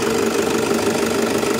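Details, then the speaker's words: Toyota Fortuner after replacing a worn alternator pulley, which had caused no charging and a noisy, rough sound while running: steady, even idle with a constant hum and no squeal or rattle from the belt area. Alternator noise is gone. "Wala nang ingay sa alternator niya."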